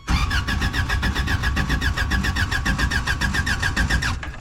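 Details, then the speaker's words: Old Toyota truck sat 26 years, ignition wires corrected and starter fluid used: starter churns steadily about four beats a second with no firing; cranks but won't start, inconsistent spark suspected, coil to be swapped. "Alright, so I think I have inconsistent spark."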